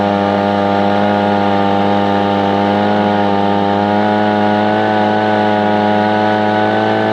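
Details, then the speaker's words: Echo PB-250LN two-stroke blower at wide-open throttle: steady, high-pitched wail with no surging; pulling the throttle cable further made no difference, so the cable is at full travel. "well that would be a negative attempting to grab this and pull it out further did nothing so really when this is at full throttle that is as far as the cable will reach"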